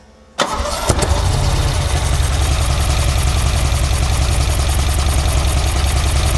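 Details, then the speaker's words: '78 Ferrari 308 GTB V8 with its engine sorted, old distributors removed and carburetors fitted, cranks briefly, catches and settles into a strong, even burble with every cylinder firing; normal healthy idle after start, before carb synchronisation. "it sounds like a ferrari now guys sounds very very good"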